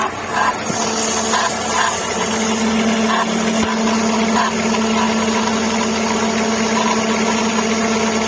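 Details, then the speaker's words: VW Gol G5 idling with a steady whirring drone and faint intermittent chirps; no play found, traced to the worn AC compressor belt, and the noise stopped after swapping the belt. "Não tem barulho nenhum, não tem folga aqui. O problema provavelmente vai estar na correia do... Essa correia aqui, do compressor."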